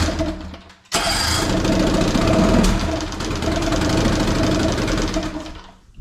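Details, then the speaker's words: 18 hp Evinrude outboard sitting in water after a carb rebuild, air screw still being adjusted: it catches and runs ragged, pace wandering, then dies after a few seconds. Owner suspects fuel supply, perhaps because the tank sits lower than the motor. "it seems like it still cuts out i think it's because of fuel every time i i squeeze that little pump um it usually runs a little better and then it starts to die"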